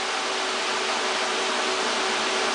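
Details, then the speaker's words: VW Transporter Doka EV conversion, fans on the radiator cooling the Curtis controller, paper shop towel taped on so the air is audible: even, steady rush of air with no ticking, grinding or wobble; fans working properly. "And I've taped a paper shop towel to the radiator just so you'll hear the air, but this will show it."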